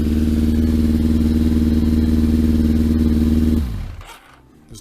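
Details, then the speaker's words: Thunderace motorcycle after dead flat battery and suspected loose starter-solenoid wire, petrol tank removed: even steady idle with quick smooth beat for a few seconds, then dies cleanly; engine starts and runs normally. "Right, so we've got this Undertray back on now. The bike now starts."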